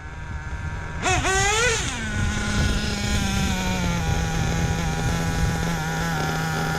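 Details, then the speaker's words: Hobao VS2 nitro buggy at about 42°F, near bottom of tank: a throttle blip then a smooth, steady high-pitched idle; slight pinging only when tank runs low. Normal idle. "that's doing exactly what it should and that idle is"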